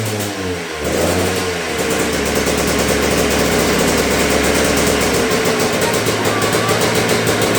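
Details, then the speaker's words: Yamaha YZ125 two-stroke first run after revival: sharp revs with a blubbery, uneven edge that won't crisp up; running rich, owner suspects main jet too big, carb needs tuning. "I need to tune the carb a little bit. I think the main jet's too big. She's over-fueling far too much, as you can hear on the revving as well."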